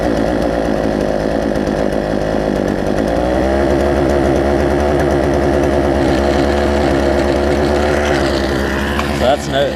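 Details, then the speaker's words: Poulan Pro 18-inch two-stroke chainsaw, warm start after carburetor adjustment and screw turned in about four or five turns; starts and settles into a steady, even run with crisp pickup; now running normally. "as a result I think I got this thing to run pretty good so let's let's see let's see what we have here it's a warm start because I've been working on it"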